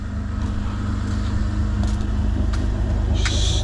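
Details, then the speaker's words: Lexus IS250 after an intersection crash with front parts removed, test-driving for drivability: smooth, even low rumble with steady beat and no knocks or rattles; engine runs normally. "Still sounds great as you can hear that. We're just going to drive around, make sure everything is fine."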